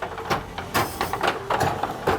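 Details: Richman Corp Set-Shot Basketball vintage two-player arcade game, repaired after its glass was smashed, running during play: irregular clatter of balls and score-stepper clicks over a light whirr from the high-speed centre ball spinner. Normal operation.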